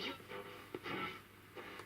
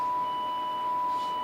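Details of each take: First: 1963 Ferguson Fieldfare Mk2 vintage transistor radio, restored from a collected set and with its battery refitted, tuning across medium wave: short bursts of station audio come through loud and clear; quite sensitive, little on long wave; normal medium-wave reception. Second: 1963 Ferguson Fieldfare Mk2 transistor radio with the output-stage bias switched off, playing a 1 kHz test tone: buzzy, with extra overtones instead of a pure tone. This is crossover distortion in the Class B output.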